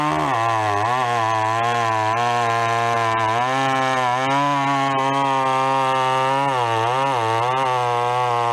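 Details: Vintage chainsaw, unknown when last run, chain a little dull, cutting a 14-inch piece of wood: steady high buzzing two-stroke note, pitch dipping and recovering as it bites; runs strong, cuts cleanly under load.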